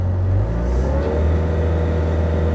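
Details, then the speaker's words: Excavator diesel with a hydraulic rock hammer, throttled up after earlier hydraulic straining that was possibly a sticking valve: revs rise smoothly and hold with no labouring or hydraulic groan. Normal throttle-up, though hydraulic fluid is still spraying from a break. "Sounds fine now. That was weird. What was that?"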